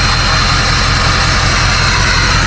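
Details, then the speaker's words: Ford 6.0 Powerstroke diesel after replacing a 22-year-old blown turbo and reseating loose passenger number one injector: deep steady idle under a smooth jet-like whoosh, no chopping or surging; normal turbo whistle. "Yep, it's tight now. And that sounds so much better. If we come back here, it actually sounds like a jet now. No chop, no nothing."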